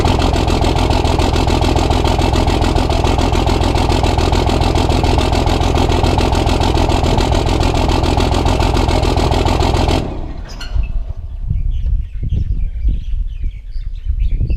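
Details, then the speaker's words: Cummins diesel truck at its first start after engine upgrades: uneven, lumpy knock at idle about twice a second, then shuts off. The loose fifth injector line was spitting fuel. Rough idle from a leaking injector line. "all right so I just checked my six injector line and it is spitting up fuel so I'm about to find my wrench"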